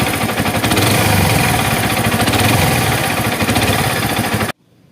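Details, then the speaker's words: Yamaha Vixion-series engine family (Vixion, Jupiter MX, MX King, R15): small motorcycle engine idling with a rough, rapid clatter from the middle of the block, attributed to a worn crankshaft big-end bearing. "Masih berbicara masalah bunyi kasar yang ada di fiction series, mulai dari fiction old hingga M.A. King nih."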